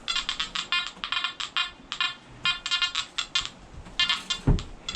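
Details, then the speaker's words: Nokta Anfibio Multi metal detector, 7-inch concentric coil, odd-shaped gold ring reading 23 with tone break at 19: choppy stuttering tones flipping between pitches, also overloading; broken tone at tone break. "So it's on that tone break, and it doesn't know which tone to give you."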